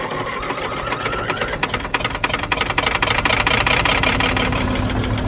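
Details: Old Caterpillar D6 dozer diesel, after fuel supply fixed: slow uneven firing thumps quicken into steady rumble with rising tone as it catches; normal start.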